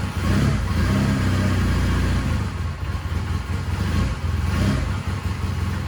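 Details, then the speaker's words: 1999 Honda Rebel 250 after long storage, first start with oil added to cylinder and idle turned up: holds a steady, low, even idle without stumbling, slight exhaust smoke; running healthy. "Check that out, man. That was awesome. That is so cool. I mean, this thing sounds like a freaking sewing machine."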